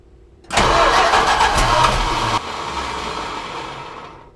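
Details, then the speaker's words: 1973 Plymouth Cuda 340 small block that starts on starter fluid but won't stay running, low fuel pressure suspected, first try on gas only after new oil pressure line: catches, runs loud two seconds, then fades; engine start attempt. "so the goal right now is to see if we can get her to start with just on gas no not using any starting fluid"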